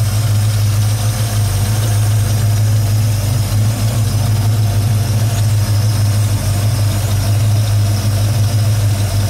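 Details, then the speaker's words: 1971 Chevelle SS with a 383 stroker (425 hp) V8 and automatic, warming up: deep, steady idle burble with an even exhaust pulse and no ticking or knocking, a healthy smooth-running engine. "Engine runs great. And no knocks. You're not hearing any ticking."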